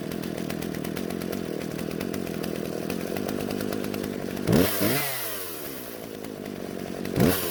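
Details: Husqvarna chainsaw, originally wouldn't start, after carburetor adjustment (L and H screws turned out slightly for more fuel so it won't stall): high steady two-stroke buzz bogging into wood then recovering cleanly; runs healthy.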